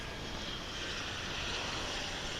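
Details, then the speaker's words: Spirit Airlines A320 taking off at Dallas/Fort Worth airport, heard from a distance: jet roar with distinctive steady high whine as it lifts off; normal jet engine whine during takeoff. "here's that spirit jet which is off to las vegas a320 listen for that distinctive wine as it uh lasts off"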